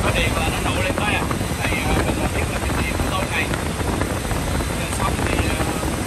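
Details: Engine running steadily after a jump start, with wind over a smooth, unbroken rumble and no stumbling or misses. The car would not start because of a weak or flat battery; it runs fine once jumped.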